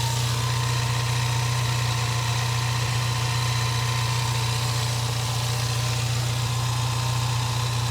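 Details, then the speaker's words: Four-cylinder car at a salvage auction with minor fender damage and apparently missing exhaust pipes: smooth, even low hum at idle with a steady pulse and no knocks, ticks or whine; engine runs well. "there the engine runs good now little four banger"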